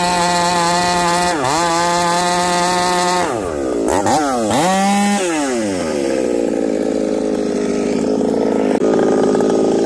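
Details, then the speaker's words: Chainsaw with new bar and first self-spun Oregon chain cutting: screams to high revs, then tone wavers and stumbles under load in the cut; engine breaking up, still sounds rich, owner suspects coil. "it still sounds Rich at 5H and still sounds like it's breaking up"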